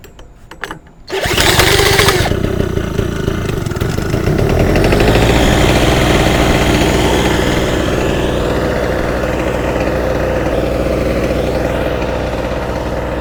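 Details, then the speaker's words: Small off-grid portable generator starting with choke on after oil was poured into the combustion chamber; it runs at a fast, slightly uneven beat with a wavering note, needs adjustment to reach proper voltage. "well it runs it sounds like it needs some adjustment though"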